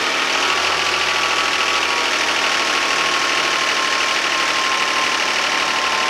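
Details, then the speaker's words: 2011 Hyundai Santa Fe 3.5L V6 after an oil pressure switch repair, first start with the fuel rail refilled: loud idle with fast light ticking throughout; owner says it starves for oil at startup and the lifters are very noisy. "The engine started up. You can hear at the beginning of the startup the engine starving for oil, and you can hear the lifters go absolutely nuts, and even afterwards."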